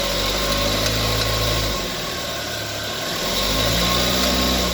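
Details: 2019 Chevrolet Prisma (GM family, elastic belt) that made a loud compressor-like noise under load, after a new alternator belt and tensioner roller were fitted: even, steady idle with one smooth change in engine speed and no squeal, chirp or rattle from the belt; normal idle.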